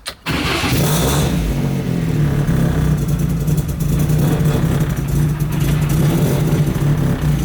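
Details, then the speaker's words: Turbocharged project car ("Shit Car") started two days before SEMA after cleanup: fires quickly, then settles into a lumpy, wavering idle. Something is still wrong and leaks are suspected; rough idle, cause not confirmed. "She idles, not the best, still something wrong, but hopefully I can get it to idle a little bit better so I can diagnose it. Still sounds atrocious."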